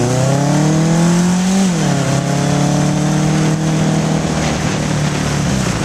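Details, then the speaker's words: 1981 Honda CB750 K1 four on test ride, partly on choke: revs climb then drop sharply, dragging flat and labouring, bogging under acceleration; owner suspects vacuum leaks and carbs out of sync. "all right just things barely unrideable half that time I was riding with the choke on and it's bog and it's stuttering it's just not running right"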